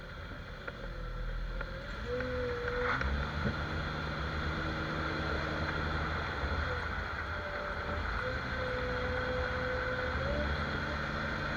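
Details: Jeep XJ at speed after dry lube was sprayed on the cracked front axle shaft u-joint that had been making noise. Steady road and drivetrain hum with no clicking or clunking; the u-joint now runs quiet.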